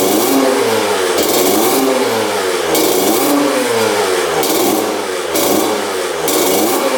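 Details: 2000 Honda CR125 two-stroke on fresh 40:1 fuel after the power valves were found disconnected; crisp blips with no stumble, idle lowered from high; smoke now blue, still slightly boggy at top end before warm-up; normal revving.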